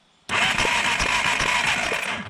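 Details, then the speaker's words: 1987 Yamaha Big Bear 350cc 4x4: starter spins fast and even for about two seconds with regular compression pulses, but it never fires. Crank, no start with no spark; CDI suspected, not confirmed. "just like nothing so it's it's interesting and I had another spare CDI which I believed to have been good but I couldn't confirm also no spark"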